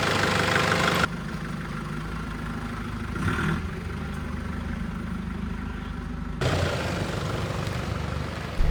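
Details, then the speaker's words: Nissan Patrol with second-hand replacement ZD30 diesel swapped in after the old engine developed a tick: even diesel clatter at steady idle, no knocks or misses, no visible smoke; runs smooth and much quieter than the previous engine. "The engine just sounds really smooth, really much quieter than the last one."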